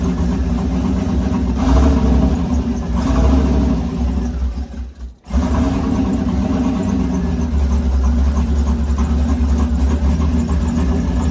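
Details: V8 with Huron Speed turbo kit and BTR turbo cam, first start after oil priming: catches with a short flare, then settles into a loose, lopey idle with a choppy low rumble; running fine.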